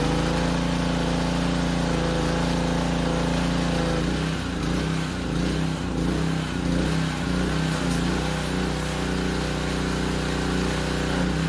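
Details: Powerstroke 2200 PSI pressure washer, warm, water hooked up and pump under load after carburetor cleaning: steady drone dips slightly under pressure then holds without hunting or stumbling; slight initial surge, now runs well.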